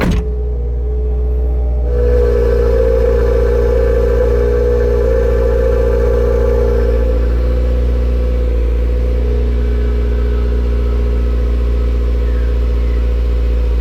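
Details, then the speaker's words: MY15 Subaru WRX with MRT Performance exhaust, stock rear mufflers retained, heard inside the car. Cold start: steady raised idle with a deep booming drone easing after a few seconds. Normal cold-start fast idle, quieting to near-stock after about 1.5–2 minutes. "so that was a cold start and as you can hear it is a little bit fatty and it is quite booming inside the car"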